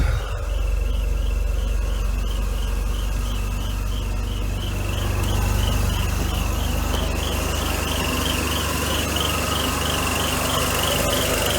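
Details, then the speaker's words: 1992 Mercedes 300E (W124), head gasket job, warming up with no thermostat and water on the belts: a high thin squeal wavers about four times a second over a steady idle rumble; worn air pump bearings. "nothing not can hear the squirrel of the air pump [Music] bearings yeah we got water all over the belts and"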